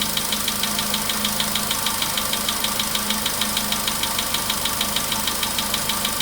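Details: VW Polo Sedan, 99,329 km, cold-start idle: crisp metallic tick several times a second, knocking less but engine feels to run heavier; source unknown, knock worsening with mileage.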